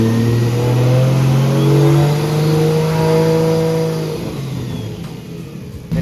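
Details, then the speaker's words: Nissan C33 Laurel with G-series turbo, warmed up to 81 degrees, speed sensor installed; throttle blips with a clear whistle rising and falling with revs; normal turbo spool whistle. "I want to show you the whistle. With the speed sensor in, it sounds like this."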